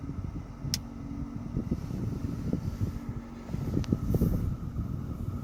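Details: Toyota Mark X GRX130: irregular low thumps and rattles over a steady fan and engine hum; abnormal air conditioning noise, cause not identified.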